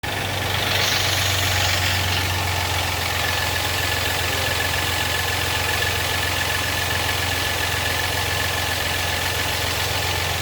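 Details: 4.3 engine at a steady idle with a fast, loose metallic rattle over it, about three to four per second. Source not pinned down.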